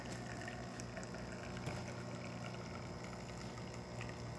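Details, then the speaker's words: DeLonghi Magnifica XS after full service with brew unit mechanics replaced and descaling, test double shot; steady, even pump hum with coffee trickling through, no rattles or straining; brew pump working normally. "this is pressing against your Brew unit just tamping your coffee and also just being water out of it"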